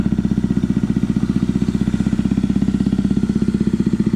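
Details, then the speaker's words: Predator 2000 watt inverter generator running rough: engine pulses unevenly about four times a second, choked, whistle-like sound instead of a smooth hum, caused by a badly clogged exhaust spark arrestor. "Going to go ahead and kill it. And what that is the spark arrestor is plumb clogged."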